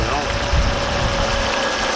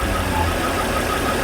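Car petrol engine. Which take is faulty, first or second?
second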